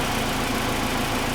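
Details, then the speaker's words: Kia Sportage after cylinder head rebuild, warm after a drive: smooth even idle with soft steady patter, no sharp top-end ticking; lifters refilled, valve train quieted, normal idle. "Well, just got back from a drive, guys, and the valve train's all quieted down now, as you can tell. It's a lot quieter."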